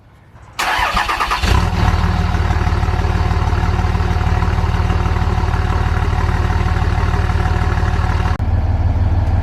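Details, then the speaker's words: 2004 Dodge 3500, 5.9 Cummins diesel, 538,000+ miles: cranks and catches into a loud, raw, blatty idle with a hard low pulse; exhaust broken off and open right behind the turbo, before a custom stainless turbo-back exhaust. "as you can see, the exhaust is quite missing. I broke off right here, so we're going to go ahead and get it the entire way."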